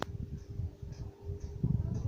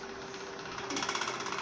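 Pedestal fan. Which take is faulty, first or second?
second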